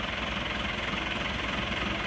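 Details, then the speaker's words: Isuzu Panther diesel at working temperature after blow-by repair with custom liners: smooth, even idle, no extra knock; no oil smoke, only thin black exhaust haze; blow-by cured, normal idle. "Nah, ini sudah normal banget ya. Enggak ngasap. Berarti ngobosnya sudah sembuh."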